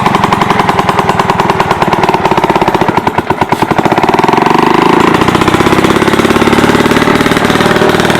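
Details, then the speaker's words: About 1946 two-stroke rototiller, running after years stored: loud, sharp, rapid popping at an even, unchanging pace. Broken throttle cable keeps it at one speed, and the kill switch doesn't work, so it's stopped with the choke. "there you have it she's a runner throttle cables broke can't throttle it up or down kill switch doesn't work"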